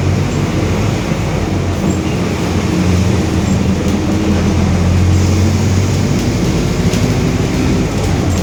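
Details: 2021 Marcopolo Torino S bus on Mercedes-Benz OF-1721 BlueTec 5 chassis, driving: deep droning hum with steady low growl under road rumble; roaring, worn differential.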